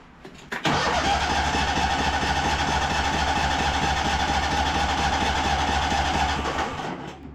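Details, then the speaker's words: High-hour Cub Cadet 2186 lawn tractor, weak battery: starter cranks evenly about six seconds and never catches; spark confirmed present. No fuel reaching the engine because the fuel pump lost prime; owner also suspects a dirty carb. "and of course last time it stalled out in a funny way. I'm just worried this thing isn't getting fuel anymore."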